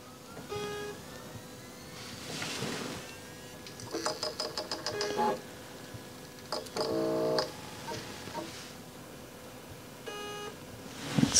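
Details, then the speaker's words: Short, high alarm beeps over a faint tone from a Terramaster D2-320 two-bay USB 3.2 RAID enclosure fitted with two 16TB IronWolf Pro drives. One drive is faulty and is not recognized. "kind of beeping. Is that good? I don't think beeping is good. Turns out one of the drives is faulty."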